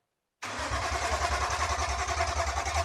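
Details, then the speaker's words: BMW E46 M3 Touring with swapped S54 engine, first start attempt after installing M3 steering column and EWS: steady starter cranking at about three and a half beats a second, turning over evenly but never catching; cranks, no start. "It's trying. At least it cranks. This is new."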